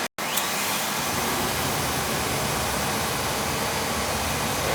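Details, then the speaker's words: Second oil boiler on an annual service, with a stack switch and no damper; its nozzle filter was clean and left in place. After a brief cutout the burner comes up to a smooth even roar with no rumble, pulsing or puffing: clean, steady firing. "actually fired up sweet stack switch this one doesn't even have a doesn't even have a damper this one fired up nice little nozzle filter was okay"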